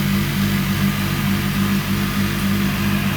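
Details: Indesit ISDP429 Autopump spin dryer, made by Hajdu in Hungary, spinning a full load of work clothes with hot water: even motor drone with a soft rhythmic chug about once a second at steady speed. Normal spin cycle.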